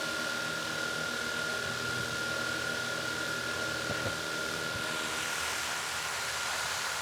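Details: DJI Mavic Air 2 idling with Master Airscrew aftermarket props on a wooden table, where it does not appear to shake. A steady high whine with a soft airy hiss, level pitch, and no rattle or buzzing. Smooth normal idle.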